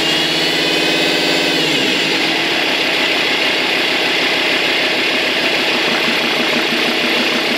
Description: Alfa 156 2.4 jtd 10V 136 cv whinning noise coming from the aux belt area.